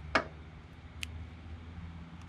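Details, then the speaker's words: Front locker actuator powered from a separate 12 V source with the battery isolated: a single crisp click with a faint second tick as the locker engages. It works, so the fault is lost continuity; normal locker engagement click. "Okay, you hear that click? That's the locker engaging. So what that tells me is it's working, it's just not getting continuity."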